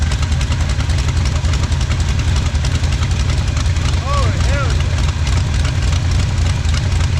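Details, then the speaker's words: 1977 Pontiac Firebird drag car, sat about 36 years, first start, fuel not yet pumping up: deep uneven loping idle about three pulses a second, no smoke; idle with cam lope. "sounds like we got a cam in it"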